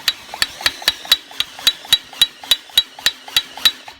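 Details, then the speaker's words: Kia Forte 2.0 Theta engine, turned slowly by hand with a finger on the piston: sharp, regular metallic smacks about three a second. Substantial piston rock in a worn bore, with cylinder two also bad; piston slap. "all I'm doing is as it's coming up and down let it hit my fingers and it's just smacking now if I do it to any other cylinder on one getting a little bit on two yeah two's pretty bad too"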